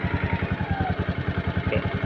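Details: Honda Scoopy/Vario 150 single-cylinder scooter after raising idle by turning the idle screw right to fix idling stop not working: even putter about ten beats a second, no stumbling, smooth idle at a slightly raised speed.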